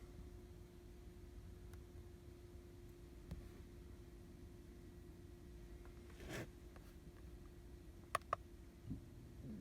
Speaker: Yeah, that one actually works, boys. I can hear the fuel pump running.